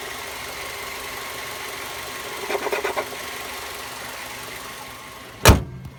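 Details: 2007 Mazda 3 2.0L petrol engine idling steadily, with a brief burst of metallic rattling and a single loud knock. Both belts and the tensioner pulley were recently replaced, curing a squeal, but the rattle persists; cause unknown.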